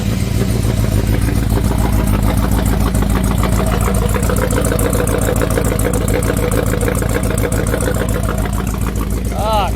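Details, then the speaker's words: Ford Fairlane V8 parked over 12 months, started with a jumper wire to the electronic-ignition coil, deep even rumble about three and a half pulses a second, no knocks or misses; healthy running. "This thing's been parked for oh god probably 12 months actually longer. Still sounds like an absolute demon."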